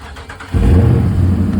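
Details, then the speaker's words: 2013 Dodge Charger, first start after a DIY water pump replacement with the coolant lines not yet bled. A brief crank, then it catches at once and settles into a steady low rumble; a normal start. "She started. She started, okay. Probably not supposed to start it like that."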